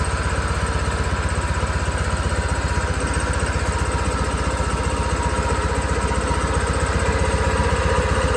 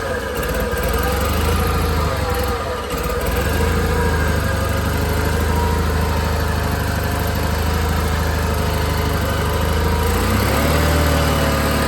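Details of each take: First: John Deere 318 garden tractor small twin after carburetor cleaning to fix surging: steady, even low thump, no surging, picking up slightly as throttle is raised. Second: John Deere 318 garden tractor twin engine idling with choke partly out: speed wavers up and down, surging from a fueling issue, fixed by carburetor cleaning.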